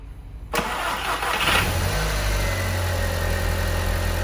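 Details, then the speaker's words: 229,000-mile Audi TT after fixing intake leaks (dipstick tube refitted). A brief crank, then it starts and settles into a steady, smooth, even idle with no hiss or misfire; it sounds better and gained power. "Well, that sounds better."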